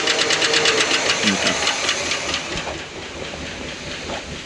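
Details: Barn-find 1971 Cadillac Eldorado 8.2L 500ci V8: a rough, uneven run with a rapid tapping knock about three times a second. A small vacuum leak is suspected somewhere; cause not yet found.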